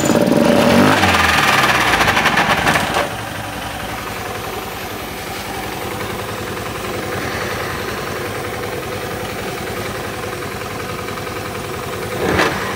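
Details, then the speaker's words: Honda Beat FI scooter with rough starting, idling: coarse, gritty rumble from the CVT; sliding parts look good, so the mechanic suspects a worn, damaged CVT pulley shaft bearing. "supaya teman-teman dan konsumen lain bisa mendengarkan suara kasar pada bagian CVT pada motor Beat starter kasar yang sedang mekanik bengkel kerjakan ini ada masalah pada bagian mana"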